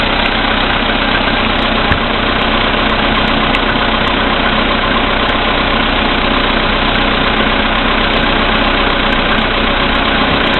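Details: VW Polo Sedan CFNA petrol engine, 2222 km, cold start at −5 °C after sitting overnight, oil three matches below max, 98 fuel. At idle a loose ticking knock of about 2–3 beats a second appears, strengthening under electrical load from lights and heated glass; cause unclear.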